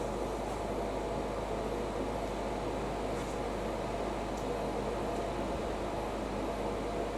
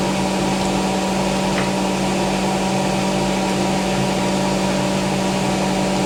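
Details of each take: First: Hotpoint BIWDHG75148UKN integrated washer dryer during drying: steady loud rushing hum with no knocks or rhythm; heater and fan unusually noisy, audible over a TV; cause unclear. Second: Hotpoint BIWDHG75148UKN integrated washer dryer at about 1400 rpm spin: steady, even high-speed spin with smooth induction motor hum, no knocking or grinding; sounds healthy.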